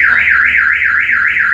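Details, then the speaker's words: Car alarm siren wailing, rising and falling about three times a second, sounding on its own; one cause shown is the brake light staying on without the pedal pressed. "f1s jumpa lagi di channel Suci kali ini saya mau share Bagaimana cara mengatasi alarm mobil yang bunyi sendiri ya"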